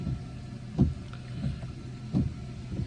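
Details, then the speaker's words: 2014 Honda CR-V, 59,000 miles, just after replacing a slow front wiper motor: soft motor hum with a rhythmic thump as the arms sweep about every second and a half, no interference; wipers working normally. "turn our wiper arm we're gonna try and see if there's any interference and it's working fine"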